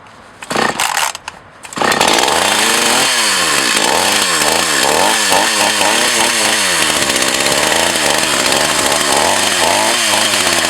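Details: Older Echo CS 4500 chainsaw after a carb rebuild and possible fuel filter change, outdoors: after a couple of pulls it catches, revs up and down cleanly and settles into a steady, even buzz; it is running fine.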